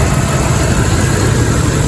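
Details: 1997 Jeep Grand Cherokee, which had a no-start and alarm problem, now running: steady, low, even idle rumble with no knocks or misses.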